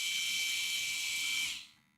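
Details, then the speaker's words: Small cooling fan on a DIY 3D-printer re-spooler controller, slow to spool up like a two-stroke weed eater; high airy whir winding down, caused by the plastic case rubbing and pressing on the fan, not wires. "There's no wires rubbing. It's rubbing the plastic. That's what it's doing. This case. Oh my god. The case rubs the fan, and it puts pressure on the fan."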